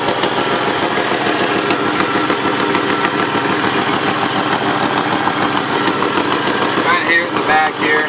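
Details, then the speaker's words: Jeep Wrangler YJ (1986-1995 model) at idle: rough running with a sharp puffing tick at firing pace, heard and felt at the back of the exhaust manifold; exhaust manifold gasket leak. "so fairly often you'll be able to kind of just hear it and know that the exhaust leak is coming from somewhere in the front for us we can tell that it's kind of coming from the manifold on the backside here"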